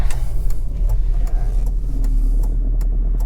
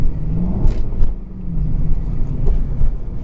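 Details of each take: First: 2003 Jaguar S-Type R with a rebuilt supercharger and smaller pulley: sharp, regular ticks over a deep idle, then revving; the owner suspects an exhaust leak at the EGR pipe's reused gasket, unconfirmed. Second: 2003 Jaguar S-Type R supercharged V8, back after coolant hose leak repair, supercharger rebuild and 10% smaller pulley, warm and driving: exhaust valve opened gives much deeper burbling rumble rising and falling with throttle blips; normal throaty note.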